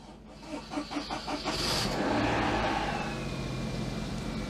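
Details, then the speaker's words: Daihatsu Charade after engine swap, cold start: catches after a few cranking pulses, then settles to a smooth, steady fast cold idle around 1500 rpm; brief rattle as oil pressure built, then none; running fine. "that's a much better idle 1500 revs cold idle we had a bit of a rattle as the oil pressure got up"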